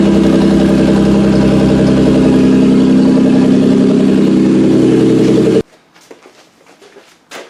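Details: 1992-1996 Toyota Camry V6 on a homemade standalone harness, terminals just tightened, air intake fitted, no key, in drive: even steady idle with clean regular hum, no knocks, before shutting off; normal healthy idle.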